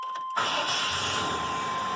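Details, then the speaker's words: OBS Chevy truck, hot restart after few seconds off, previously wouldn't start because it flooded the intake and drained fuel pressure: fires instantly and settles to a steady even run; normal after repair. "fire right up used to be you shut it off and let it set for five ten seconds and it wouldn't start"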